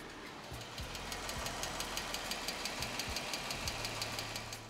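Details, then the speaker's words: 2015 Jeep Wrangler 3.6L Pentastar V6, warm idle: a sharp, steady tick about three times a second, loudest from the passenger-side bank and quieter on the driver's side, from a worn rocker arm or lifter. "ear that uh knocking sound and it's obviously coming from this bank here we go to the driver's side uh it's not as loud it seems like it's mainly coming from the passenger side"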